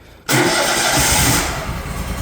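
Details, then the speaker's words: Propane-powered PG690 grinder, emergency stop disengaged, throttle idled down: silence, then engine catches instantly and settles into steady even idle with no stumbling; normal start, warm-up idle recommended. "and it'll fire right up now when you first start this up just going to want to let it idle for a minute or two"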